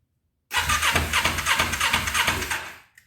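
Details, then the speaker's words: 2000 Kawasaki Ninja 250 bought cheap, cold start on full choke with a very sticky choke: engine catches at once and runs in rough, uneven pulses for about two seconds, then dies; won't keep running cold. "The choke is very sticky. All right, guys, I don't like revving a cold motor like that, but right now I'm just running with the choke."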